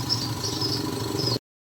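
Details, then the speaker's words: Yamaha Mio 125i fuel-injected scooter after replacing faulty fuel injector that caused starting and stalling: steady even idle patter with no misses or stumbles; running normally. "ก็สรุปอาการของรถคันนี้นะครับYamahaNeo1225iนะครับหัวฉีดเสียนะครับก็ทำการเปลี่ยนนะครับรถก็ปกตินะก็ประมาณนี้นะครับ"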